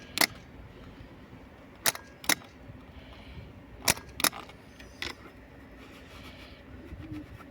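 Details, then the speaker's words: Opel Astra G 1.9 CDTI automatic, no-start: starter solenoid clicks sharply every second or two but motor doesn't spin; starter turns with direct power to motor, not via solenoid control; burnt solenoid contacts, starter being replaced. "так зараз вже не работає да втягующе щолка а він не крутиться хотя якщо подати плюс на самий цей Стартер крутить А если подати на втягующ на управление не крутиться"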